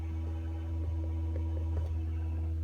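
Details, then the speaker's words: Nissan/Infiniti G35 with the car turned off: steady low electric buzz with a faint higher tone as the ABS pump keeps running, with ABS/VDC/slip lights on. "so turn the car off and you can still hear that ABS pump buzzing"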